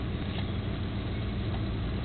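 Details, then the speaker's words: 1994 Jeep Grand Cherokee 5.2 L V8 that struggles to start in humid, changing weather: low, uneven, lumpy idle with no clear knock; later traced to gunked throttle body and leaking intake manifold and plenum gaskets. "it's idling really rough right now oh yeah let's check out the timing light see if it's the ignition"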